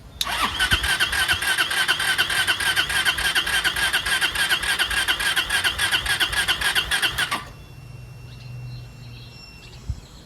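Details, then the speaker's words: Chinese 150cc scooter (TNG Verona / E-Jewel) with about 18 inches of fuel line; about seven seconds of steady starter whirring with no firing while fuel has yet to reach and fill the carb bowl. "Anyway, so it'll be cranking for a bit just for the fuel to get there. This way we know if it stays running, it does not need a carb clean. We're just going to crank it and see if it stays running."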